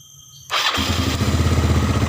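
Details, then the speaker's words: Motorcycle starter motor (dynamo) tested directly off the battery with the bendix removed: a click, then a strong, steady whirr with no grinding; the starter dynamo is fine. "bunyi selebriti kalau punya seperti ini berarti di daerah dinamo starter aman Enggak ada masalah"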